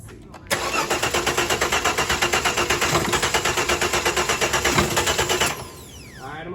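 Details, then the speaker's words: 2009 Dodge Charger SE 2.7 no-start: starter cranks steadily about 170 pulses a minute for five seconds, never catches, coughing out the intake like a flame; spark and fuel present, timing fault from failed water pump (water-oil mix). "All right, hopefully you guys heard that. It sounds like it was coughing out the intake. That little noise sounds like a flame."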